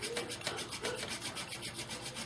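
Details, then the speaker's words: Incantation friction fire drill once warmed up: fast, even dry gritty rasping strokes about six a second; the squeaking has stopped, moving from glazing to real friction and smoking well. "okay hear the squeaking stop that means where we've gone from glazing to getting real friction so it's smoking pretty good"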